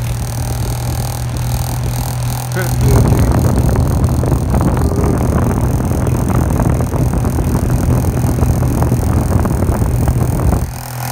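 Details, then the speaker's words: Hoover fan with badly worn motor bearings, running on its only speed at about 3,500 rpm: a steady low hum, then a harsh gritty rattle that persists at full speed. "but surprisingly does still work sounds like holy hell there she goes on the only speed it has spin at 3,500 rpms there she goes"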